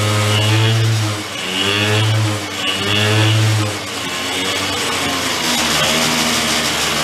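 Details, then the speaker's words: 2004 Yamaha Vino 50cc two-stroke scooter after years of barn storage, air cleaner off: revs in uneven, stumbling bursts between blips. Rough running; the owner suspects it is bogged with two-stroke oil and is revving to clear it. "I'm going to go rev It Up kind of like clear out I think it has a bunch of two-stroke oil bogged down in it"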